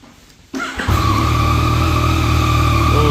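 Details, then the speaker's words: Rebuilt Yamaha MT-09, fully stock exhaust, in neutral with clean oil, first start after the rebuild: it catches first try and settles into an even, steady idle with a smooth low hum and no misses. It sounds healthy and not loud. "that sounds nice the bike's full stock so it's not that loud it's just what it is"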